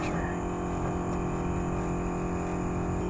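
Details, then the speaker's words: Mopar race car "Junkyard Jet" electric fuel pump running after new fuel pressure regulator installed, set to a steady 6 psi before engine start: even electric hum and low buzz with no surging or dropouts; normal pump operation holding pressure. "a steady six pounds pump sounds good it's holding steady we should be in a good spot"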